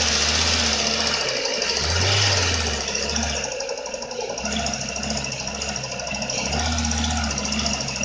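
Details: Renault Megane 2 engine: uneven tapping of roughly three to four per second over the engine with some background noise; owner asks for help with a knock of undetermined cause.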